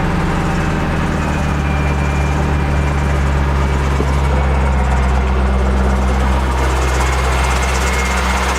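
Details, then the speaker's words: C5 Chevrolet Corvette V8 at idle with a faint steady high squeak from the accessory belt area, possibly a pulley bearing; was worse the day before, WD-40 and motor oil tried on bearings, tensioner pulley to be pulled back next. "you can kind of hear the squeaking right now honestly not too bad right now it was a lot worse yesterday"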